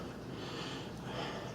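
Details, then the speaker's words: House A/C unit indoor evaporator blower after repair of fan not running, thermostat set to cool at 72 from 78: steady, even, powerful rushing of air, no rattle, scrape or hum; normal blower airflow. "And it sounds powerful now. Yeah. All right, let's go and let's check the AC, see how it's doing. Okay, we still got good airflow."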